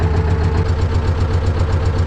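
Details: T-16MG self-propelled chassis diesel, started in winter frost with decompressor and clutch pressed, idling after cold start: steady low chug at an even fast beat, no misses or knocking; normal idle.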